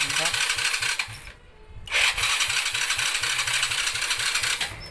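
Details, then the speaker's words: Honda Dream 100, freshly rebuilt, full battery, kick-starts easily but electric start fails: choppy, uneven cranking churn that stops and resumes without catching; cranks but no start. "นะครับสถานมันจะเป็นอย่างนี้นะครับแล้วมันก็จะไม่ติดนะครับมันเกิดจากอะไร"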